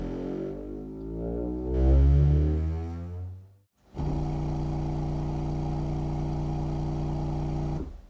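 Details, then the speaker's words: Jamo D7 subwoofer, amplifier and driver run outside the box after adding a balanced XLR input: clean steady bass notes with no audible distortion or mains hum; works properly. "as you can hear it it works and there is no audible distortion or mains hum"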